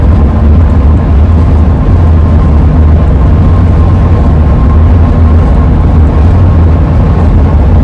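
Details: 2001 Ford van with AA ladder roof rack, relocated but still howling, at cruising speed: thin steady high hum under heavy road and wind rumble; roof-rack wind howl, exact cause unknown.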